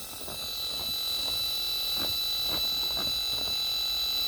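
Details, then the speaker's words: Homebrew radio receiver, antenna disconnected, short speaker wire on the ground, tuning across the band: rapid, slightly uneven ticking of three or four clicks a second with a steady high whistle; rotary encoder interference noise heard over the signals. "so as we tuned down here we can hear some signals but still hear that encoder noise and we go up higher"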